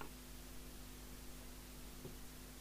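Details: Murphy CBH1500 CB27/81 UK FM CB base station built on a Spirit 40F transportable board: a faint, steady low mains hum under the hiss, a design fault. Four PSU capacitors and the main-board 1000uF capacitor were replaced, which reduced the hum.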